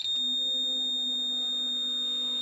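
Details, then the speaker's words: Land Rover TD5 with a fuel pump not working. With the relay bypassed and the pump fed directly by a power probe, a steady high-pitched whine holds one pitch; the pump runs, so the fault is the relay. "I can hear the petrol pump running fuel pump diesel pump so I know that the problem is in the relay and nowhere else"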